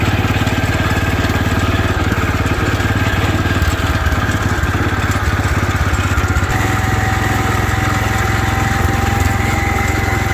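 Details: 1972 Wheel Horse Raider 12 lawn tractor, stored 15 years in a shed, driven around the yard: single-cylinder pops unevenly, revs hunting up and sagging; governor not working at all, revs too high then dies under load.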